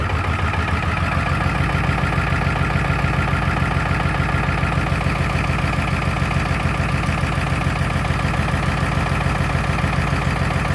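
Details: 2003 Ford F350 7.3 Powerstroke diesel: deep idle with steady uneven lope about three beats a second, cylinders dropping out; buzz test showed only 3 of 8 injectors healthy; corroded injector driver module confirmed as cause of rough idle.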